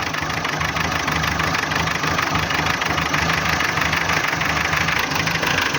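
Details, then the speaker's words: Renault K7J engine at 348,000 km: a rough, uneven idle with a loose knock, about three beats a second. There are no hydraulic lifters; springs and valve clearances are fine, and compression reads high, possibly oil compression. The knock's source is unknown. "идёт посторонний шум это не гидрокомпенсаторы здесь их нет"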